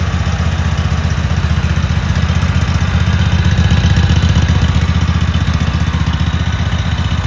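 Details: Cub Cadet Super 2284 lawn tractor with electrical issues, very dirty, missing bolts, rear cover off. On a test fire the engine chugs low and steady at about four beats a second with an even rhythm and no misses, holding a consistent idle.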